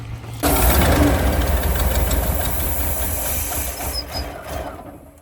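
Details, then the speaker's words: 1988 Ford Bronco that sat 24 years, spark and fuel at the rail confirmed: the starter cranks steadily at about four beats a second and never fires; injectors tested and found clogged, then removed for cleaning. "so we've got fuel at the rail we've got spark we tested each of the fuel injectors"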